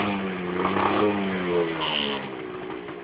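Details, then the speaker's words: Cold two-stroke motorcycle, not started since last year, starts on first kick and needs to smoke itself clear: ragged revs sag and wander and won't settle to idle; rough idle on cold engine after long storage. "Na, mindjárt, csak még hideg. Még hideg a motor. Tulajdonképpen egy föszre indul. Meg hát ez tulajdonképpen most tavaly óta nem lett beindítva, tehát egy picit ki kell, hogy füstölje magát."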